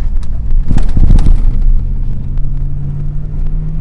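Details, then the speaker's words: Ford F-250 pickup after new exhaust installed, at a stoplight then pulling away: deep, smooth rumble settling to steady drone, much quieter than before, no rattles or blowing; normal exhaust note. "it's uh nothing too fancy but it's certainly a lot quieter than it was and i don't need anything too fancy i just need it to be functional"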